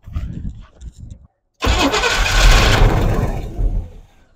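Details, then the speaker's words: Squarebody utility truck: a short crank, then it catches and runs roughly about two seconds before sagging and dying. It has spark; the owner suspects the carburetor bowl hasn't filled with fuel yet and notes vacuum leaks. Starts then stalls. "and she died all right so she's got spark but there's nothing keeping her going so what's the problem with that so the fuel just needs to get in there and probably fill up the bowl we just haven't turned it over enough"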